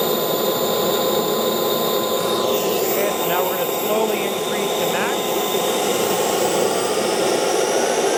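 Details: CARF Rebel Hot RC jet's newly installed turbine on test run, air bubbles purged, idle stabilizing before throttle increase. A steady high whine with a brief pitch sweep, no surging or rough notes. Normal turbine run-up.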